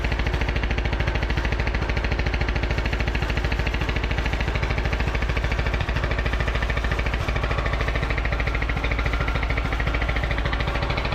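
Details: Craftsman T1000 MTD riding mower engine after repairs: it runs smoothly and sounds much better than before, when it sputtered and backfired on throttle-down. It still has a loud, marble-like rattle, and no muffler leak was seen.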